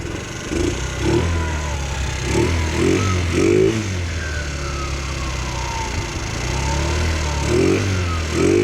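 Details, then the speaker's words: Chinese GY6 scooter during warm-up, rear tire turning, with its performance air filter refitted: a steady, even, healthy low putter; idle is just a little low. "All right, so this sounds good. The idle is just a little low, which is, there we go."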